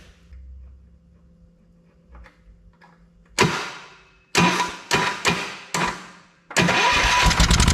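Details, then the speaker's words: 1979 Kohler K301 12 hp from a Wheel Horse mower, primed with two-stroke gas, air cleaner off: cranks, catches, runs with a fast light rattle; owner suspects acorns or something under the shroud, no clanging. "happens well it fired it sounds like we got some acorns or something in there under that cover we'll probably have to blow that out of there"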